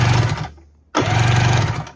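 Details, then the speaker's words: 1994 Kawasaki 550SX stand-up jet ski, non-running, oil added to cylinders and battery hooked up: two even bursts of steady starter whirr, smooth turning rhythm, no catches or grinding; normal cranking, water box suspected cracked. "She turns over. Sounds pretty good,"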